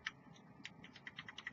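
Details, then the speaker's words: LMC (Limitless Mod Co) Redemption 80W starter kit mod: sharp, light, uneven plastic clicks every tenth of a second or so from the fire button, which is responsive but has atrocious side-to-side play and rattles loosely. "side-to-side motion is is absolutely atrocious"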